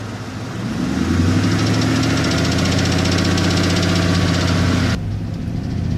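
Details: 2002 Ford Mustang GT V8: brief rev then lumpy idle with a fast, even tick about four per second over the exhaust; owner suspects exhaust manifold gasket, not confirmed.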